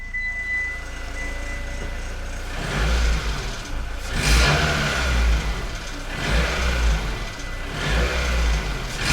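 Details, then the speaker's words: Mitsubishi ASX 1.6 4A92 engine with 183,000 km; light rapid knock that swells with throttle blips, resembles a hydraulic lifter but the engine has none; piston knock suspected, a known issue on this engine, unconfirmed. "вы слышите этот стук. Звучит очень похоже на гидравлический толкатель, но это вовсе не гидравлический толкатель, потому что здесь их нет."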